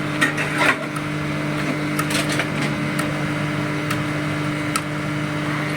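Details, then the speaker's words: Amplifier built from a 5000 W BTL Blackwindow power kit, 2 pairs of Sanken transistors per mono channel, small transformer running hot: steady low mains hum with buzzy overtone, audible when handled; grounding CT to chassis only reduces it, cause unclear. "Jadi di sini buat sahabat-sahabat untuk hasil suara kalau dipegang suara dengungnya kedengaran."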